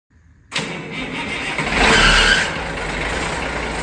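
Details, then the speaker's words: 1973 Ward fire truck, not driven much for several years, started early in the day. It cranks briefly, catches right away and settles into a steady, even idle with no misses or knocks; fired right up and runs healthy. "All righty. Sounds good. Fired right up."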